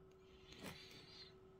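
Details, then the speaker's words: Zoostorm mini PC tower (Intel i3-4170 3.7GHz, 8GB DDR3, Gigabyte H81M-S2V, FSP 250W PSU, aluminium heatsink), after a CPU-Z benchmark: steady mid-pitched hum with airy hiss, an annoyingly loud fan. "that fan is quite annoying isn't it if you can hear that I'll move the camera closer so you can hear"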